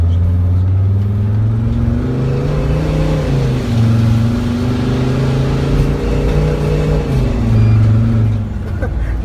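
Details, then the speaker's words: Mercedes Sprinter diesel, muffler removed to fix over-boost from restricted exhaust flow; pulling hard uphill under load, deep drone with rising and falling turbo whistle; turbo spooling freely, boost problems gone, healthy acceleration. "I got rid of basically all the problems that had and because the booze could not get out fast enough"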